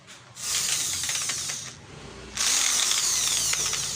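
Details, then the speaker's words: DCA mini hand drill: two short bursts of high, rough motor whir with a gritty internal rattle. The drill stalls when held under light load; gear problem suspected but not confirmed. "Narinig niya yung ingay sa loob. Tapos ayun, napipigil. Pinapandar natin pero napipigilan natin."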